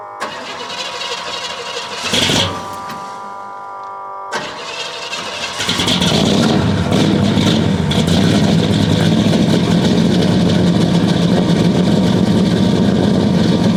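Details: 1969 Buick Special Deluxe 430 big-block, big cam, restarted after the fully closed choke was opened, warm weather: brief crank, quick catch, steady even lumpy idle with no misfire or knocking; runs much better.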